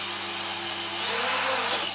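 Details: Syma X3 quadcopter in flight: high, thin whine swelling briefly as the motors speed up, then settling, no grinding; healthy motors.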